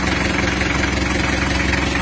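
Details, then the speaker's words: Mitsubishi L300 diesel just rebuilt (new liners, pistons, rings, bearings, crankshaft reground), breaking in at idle, not yet tuned: loud idle with fast, even chuffing pulse over the clatter; air filter or exhaust suspected. "Ini masih kedengaran suara bek-beknya, kalau nggak filter udara ya knalpot."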